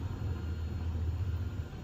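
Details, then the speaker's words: RDX-500 Cyclotron power amplifier channel, ±58 V rails, no DC at output: steady deep rumble and hiss only when a load is connected, caused by the failing IC. "Então não tá passando direto. Só que quando coloca a carga, começa a dar um chiado."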